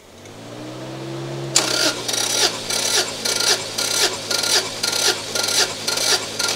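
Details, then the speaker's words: Subaru GC8 version three STI with a misfire after a reported overheat, compression test on cylinder one with throttle closed; starter cranking with even, evenly spaced pulses about twice a second: normal cranking compression. "we typically like to crank it right and you can hear the rotations. We like to kind of keep them the same. So we'll usually hear like a one, two, three, four and you can kind of hear it."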